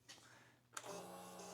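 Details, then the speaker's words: Old motorcycle unrun for years, new battery, tip-over sensor being repositioned: soft click then quiet steady electric hum of fuel pump priming; normal prime, though engine then cranked without firing. "so we got fuel pump again"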